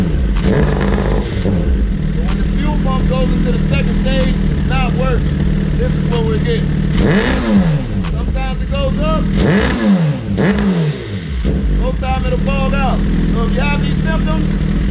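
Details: 2009 Suzuki GSX-R1000 running on its original tank with the failing fuel pump, pump barely heard priming: engine climbs briefly then stumbles and bogs back down repeatedly; fuel starvation from a failing fuel pump.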